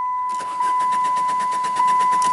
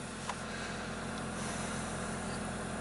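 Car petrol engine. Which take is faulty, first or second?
first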